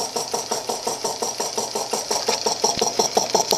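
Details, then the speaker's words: 1940s piston air compressor, unused about 5 years, revived with a new cord, cleaned and oiled, heard at the air intake. Steady locomotive-like chuffing about three pulses a second while pumping up, at about 35 psi; normal running. "But this thing just makes the most peculiar sound. You hear that? That's where the air gets sucked in right there. And it makes just the neatest sound. It sounds like a locomotive almost."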